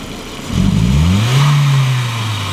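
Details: 1999 VW Passat 1.8T (AEB), intermittent power loss and hesitation, no stored codes, rich with upstream O2 fixed near 800-900 mV and fuel trim at -30%: revs climb on throttle snap then briefly bog; MAF sensor reading high suspected, repair not completed.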